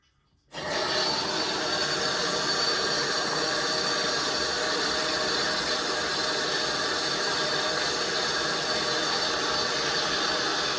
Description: Very loud noise from basin tap. It splashed water everywhere. When I turn it to full hot water, it goes normal but soon as I try to mix it with cold, it goes mad!